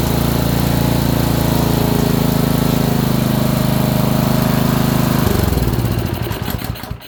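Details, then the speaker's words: Honda small single-cylinder engine, probably a water pump, after ignition coil install; runs hard with rough uneven pounding, then dies out. Owner suspects bottom-end knock, unconfirmed. "Has a hard knock in there. Well, at the very least, it's running."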